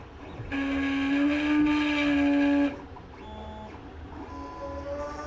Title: CR10 S5 GRINDING NOISE PROBLEM